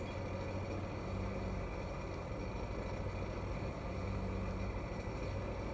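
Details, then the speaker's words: 2007 SeaDoo GTI jet ski during a drop test after gauge replacement and a throttle reset. Charging voltage is good but the battery needs replacing. Smooth, even low rumble with no misses or surging; running properly and happier after the reset. "Drop test sounds good. Actually sounds good. Oh, it's way happier after that throttle reset."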